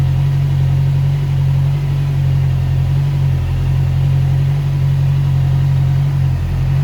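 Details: Heavy motorcycle after exhaust repaired, polished, painted and reinstalled: strong deep steady low rumble, no rattles, puffs or leaks; exhaust sealed and healthy.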